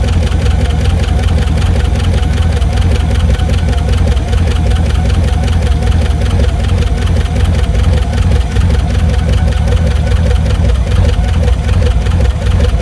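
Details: 1982 MSE Trans Am with swapped Pontiac V8, fired up after storage and washing: rough idle with steady rapid knock under the exhaust beat; owner suspects valve train knock, may pop valve covers.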